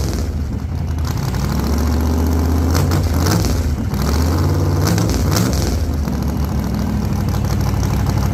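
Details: 1948 Chevy Fleetline small-block Chevy V8, 4-speed, open headers, test burnout after repair for pushrods breaking on first burnouts: a couple of hard revs rising and falling, crisp clean firing, no clatter or misses; sounds healthy, normal revving.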